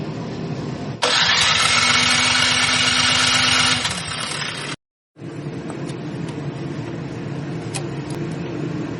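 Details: Troy-Bilt snowblower engine, before carburetor cleaning: turns over about three seconds with even chug but never catches; suspected gummed-up carburetor, not confirmed.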